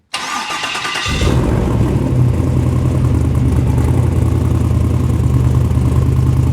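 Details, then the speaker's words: LS V8 in a rock buggy build, start with owner's tune, transmission not yet filled: about a second of cranking, then catches cleanly and settles into steady, even idle, better than before; normal start and idle. "Ran okay, idled okay. It's idling better than it was before."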